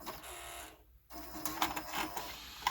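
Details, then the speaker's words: Kenwood KRC-980 car stereo cassette deck: the motor whirs and the mechanism clicks and clunks, struggling to get the cassette going, then ejects within seconds on both sides; never plays; owner suspects a belt may need replacing. "So you can hear the motor trying to spin and hear it struggle to get the cassette going."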